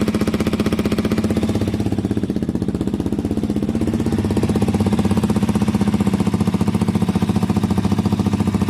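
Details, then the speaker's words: KTM 125 motorcycle after fitting an aftermarket Black Widow exhaust: steady idle with a sharp puffing tick on every exhaust pulse, gases blowing from the header joint, which still lacks its rubber seal and clamp and isn't fully tightened. "So we need the clamp on there, but obviously we need to get the rubber, and definitely a bit of blow there, I can hear it. So we need to look at that part again."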